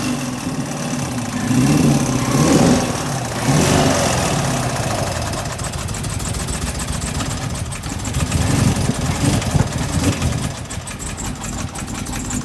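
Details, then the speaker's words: 2016 Chevrolet Camaro LT1, cracked valve spring (factory defect) after flashing check engine light while driving: struggles to start, won't stay running, really rough choppy surging idle nearly stalling; initially thought bad gas; misfire from cracked valve spring. "so as you can see the car struggling really bad to get started does not want to start don't want to stay running the idles really rough really choppy"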